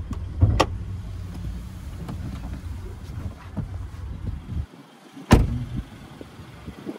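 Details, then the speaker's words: 2019 Hyundai Kona Elite, service history up to date (services at 2,600 and 16,000), heard with the bonnet open while it runs: low, even idle rumble with no knocks, rattles or squeals, plus a couple of door or handling clicks; healthy engine. "also listen that engine just ticking away nicely no major knocks rattles or squeals beautiful"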